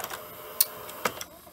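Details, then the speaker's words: Philips VCR N1700 that keeps shutting down: quiet whirr broken by two sharp knocks as threading strikes something solid. Tape isn't lacing fully and jams; rusty deck, head drum replaced in 1996. Cause suspected, not confirmed. "you can hear like a clunk like hits something solid"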